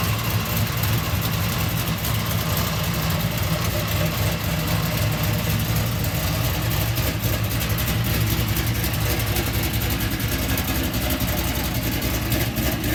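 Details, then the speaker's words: LS-swapped fuel-injected Oldsmobile Cutlass after no-start repair, pinched fuel pump circuit wire that shorted the relay and set a fault code fixed: steady even idle, smooth low rumble, no misses or knocks; running clean. "Alright, so we got her all fixed, got her running as you see. The issue was with there was a pinched wire for the fuel pump circuit."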